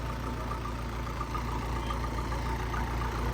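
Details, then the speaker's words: Case 450 dozer diesel engine, sat 2 years, started with a little starting fluid: steady low rumble with even beat, no misses, knocks or hunting; idles smoothly, purrs like a kitten. "purrs like a kitten, though. Been sitting 2 years, fired a little bit of starting fluid and fired it right up."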